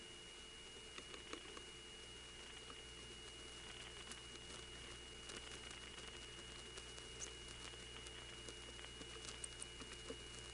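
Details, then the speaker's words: North Electric NX2 crossbar telephone exchange, Hahira, Georgia, recorded March 1978: faint steady high squeal from the unbalanced power supply under quiet relay patter, heard on the originating register. "The unbalanced power here does have that squeal. We hear it a little bit too on the originating register."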